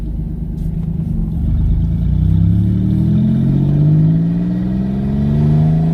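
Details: Twin-turbo V6 Mustang with new DW 340lph fuel pump, on a drive around the block: revs climb smoothly through gears, no stumble or stall on lift-off (the other car died then); running normally.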